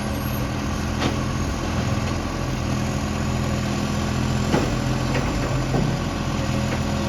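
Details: Brisbane garbage truck BSW775: steady low diesel idle with faint sharp puffs ticking through now and then, from an exhaust leak.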